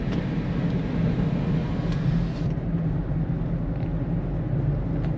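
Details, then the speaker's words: 2012 Toyota Prius cruising at about 42–44 mph after a speed sensor harness repair: low steady hum under road roar, a faint drone from the rear; a bad wheel bearing is suspected, not confirmed. "It's not much off, but it definitely sounds like that's some light drumming. I think that's from the rear."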